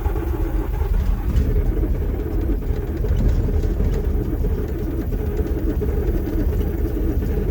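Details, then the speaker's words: John Deere 6620 sidehill combine not started in over a year, cranked with ether: low heavy rhythmic cranking for several seconds with uneven puffs but the diesel never fires; long crank no start, starts later. "Probably going to just crank it for a bit and see what happens."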